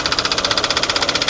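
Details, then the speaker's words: Kia engine at idle: sharp even ticking about eleven times a second over the idle, judged inside the engine rather than a pulley, possibly timing chain; internal engine knock, source unconfirmed. "that timing chain Bo it's so hard to tell where that's coming from is there any chance it's something external like a pulley or no uh-uh that's definitely inside the engine"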